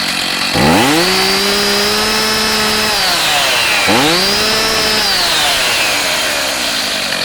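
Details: STIHL MS290 chainsaw with an 18-inch bar and chain, a cracked cover that does not affect running: two crisp throttle blips climb cleanly to a high scream and drop back smoothly. It starts easy and runs strong.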